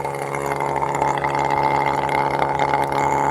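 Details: Electric sprayer, motorcycle battery, after reconnecting a detached wire: steady electric hum with buzzing pump tone at constant pitch; motor running smoothly, normal running.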